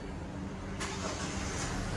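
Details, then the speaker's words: Vehicle starter test with Autel MaxiBAS BT506 tester, ignition off and accessories off before start: brief even cranking catches into a steady run; cranking normal, starts in 1.91 seconds. "Cranking வந்து நார்மலாக இருக்குது. இது starting voltage என்ன இதில் start ஆகுது, கிராங்கிங்கோட time என்ன 1.91 செகண்ட்ஸில் வந்து வண்டி ஸ்டார்ட் ஆகிடுன்ற டீட்டெயில்ஸ் வந்து காட்டுது."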